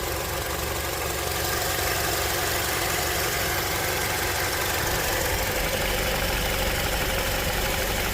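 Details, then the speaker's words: Honda CR-V 2.4, cold engine: a coarse, rhythmic, diesel-like knocking of about three beats per second sits over the idle. The owner has tracked this cold knock since about 100 thousand; the cause is unknown. "снять рокот двигателя на холодную, на горячую. То есть вот это дизеление."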